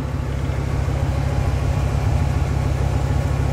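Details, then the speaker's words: Steady idle at the tailpipe after fitting a Hushpower muffler and Y-pipe: a deep, heavy, boomy burbling drone far louder than stock, an overly loud aftermarket exhaust the owner is unhappy with. "as far as the sound goes not too happy with the sound"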